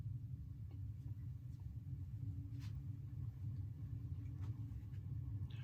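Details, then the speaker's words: Bahama ceiling fan with lighted housing on low speed (0.23 A, 8.6 W) gives a steady low rumbling drone and faint hum; extremely loud worn motor bearings, worse at higher speed, may need replacing. "It's extremely loud, though. Those bearings need... They might even need to be replaced for all I know."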